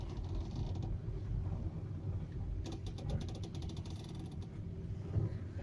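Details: VW Touran turning at low or no speed: low rumble with a dry creak and rapid clicks mid-turn, slight noise over bumps too; owner asks whether strut mount, sway bar link or other; steering creak.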